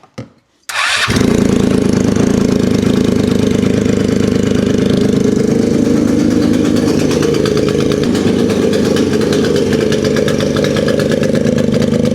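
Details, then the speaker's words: Polaris RZR 170 sat about 5 years, first running on choke after starting fluid in airbox: loud, rough, smoky running with uneven knocking tick under harsh exhaust, then dies on its own; owner hopes the loudness is just exhaust but it sounds knockish. "So, it sounds really loud. I think it's just from the exhaust, to be honest with you. I'm hoping it is, but it does sound kind of knockish."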